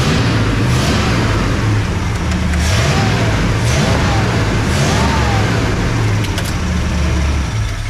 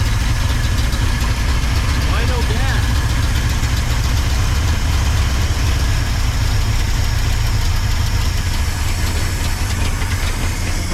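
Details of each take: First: 1979 Ford F-250 welding truck V8, revived and running on high-test gas; deep, steady rumble pulling up through a few revs, firing evenly with all eight cylinders working: normal running. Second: 1979 Ford F-250 welding truck, long-dormant V8 being revived; the starter churns it over steadily for ten seconds without catching: no start, no fuel reaching it, and they question whether the fuel was hooked up right.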